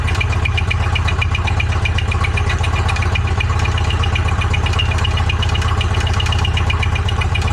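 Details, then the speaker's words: Machine's engine, just freed up after seizing (owner blames heat expansion), run on Lucas oil: steady low idle with uneven tick two or three times a second, sounds rough; owner expects possible rod failure. "Oh, it's idling. Doesn't sound good."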